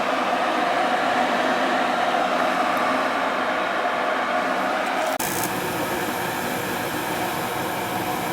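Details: Ruud gas furnace that wouldn't fire up, burner running while gas pressure is checked and the gas valve adjusted, set to 35: steady even burner roar with a tone shift during adjustment, no popping or rumble; firing normally.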